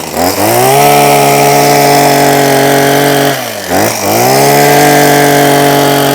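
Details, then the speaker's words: Husqvarna 123HD60 two-stroke hedge trimmer after carburetor clean and new diaphragm, previously not running: revs cleanly, holds a steady high buzz, dips briefly and picks straight back up; running strong and healthy. "So, for a machine that wasn't running, Ben gave me a new diaphragm, probably cost me about 15p. I've now got a nice Husqvarna hedge trimmer."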